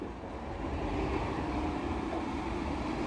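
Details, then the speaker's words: New 100 CFM bathroom extractor fan running on a bench: whooshing hum speeds up and grows louder as a hand covers the discharge, creating back pressure from a restricted outlet. "hear that again it's accelerating because i have my hand over the exhaust the discharge of the fan because this is because it has black back pressure"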